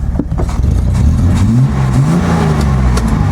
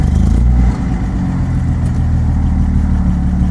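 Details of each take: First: Datsun 240Z on a test drive after carburetor work, disliking full throttle: loud high drone wandering up and down without settling, revs staying high as though the throttle is stuck open. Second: Datsun 240Z carbureted engine idling after carburetors adjusted to factory settings: low, even, smooth idle with steady rumble, no misses or knocks, though owner notes it still shakes and feels slightly lean; normal idle after adjustment.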